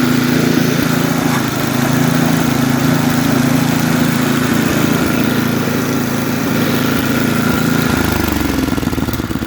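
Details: Snapper 8 hp 26-inch snowblower, fully warm, carburetor tuned one and a half turns on high and low speed: a steady, even single-cylinder idle with no misses, then picking up cleanly near the end; normal idle and throttle response.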